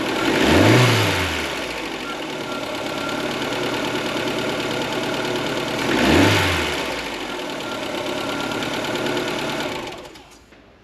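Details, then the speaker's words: Ford Fiesta Mk4 1.3L Endura, off road since 2019, after full service and tappet adjustment: quiet even idle with two throttle blips, no tappet ticking; slow to start only because fuel filter was empty, valvetrain now healthy, normal idle. "well I think you can agree that was so much quieter now with this tap it's done took a bit of a while to get it started but that's cuz the fuel filter was empty"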